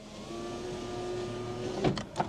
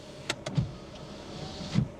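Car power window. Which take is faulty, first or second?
first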